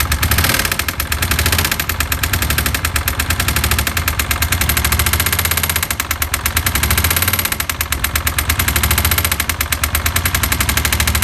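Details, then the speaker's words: Suzuki SV400 motorcycle after homemade crankshaft repair, about 20 km later: loud, rapid metallic hammering over a lumpy idle that swells and fades; connecting rod came loose, knocking at the bottom end. "ну давайте за его заведем чтобы посмотреть как он застучал я постучал до того как его отремонтировали"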